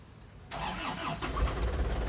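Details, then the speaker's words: Used Isuzu Elf microbus diesel being checked when buying: starter whirr, then it catches and settles into an even, smooth steady idle with no misses, roughness or odd knocks; healthy engine. "mesinnya cukup halus enak didengar irama mesinnya itu kalau mesin bagus sudah sudah terlihat ya ya iramanya lebih halus kayak gitu tidak terdengar pincang ataupun kasar-kasar"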